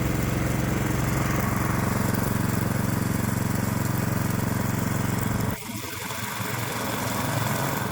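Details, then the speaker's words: Predator-type small engine on a custom adjustable electronic ignition (GM LS coil pack, inductive proximity sensor, timed 24° before top dead center), just started: steady, even fast putter, no misses or stumbles, drops off near the end; healthy idle. "Yep. It looks like the custom ignition it started right up. Very nice."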